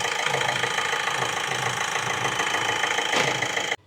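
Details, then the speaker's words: 2016 Vauxhall 1.6 CDTI diesel, first start after timing chain replacement, oil pressure primed by cranking before injectors reconnected: steady, even diesel clatter at idle, no misses or stray knocks, then cuts off; healthy and settled. "Now, hopefully we should go for a little bit of a start. [Music] And there we go. That is now running."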